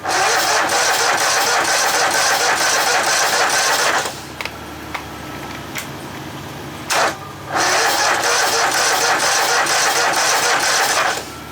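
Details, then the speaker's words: Poulan Pro small engine: two stretches of steady cranking, about four beats a second, no firing; spark confirmed, owner suspects carburetor. "now well it's got spark so i know that's not the issue so probably have to dig into the carb"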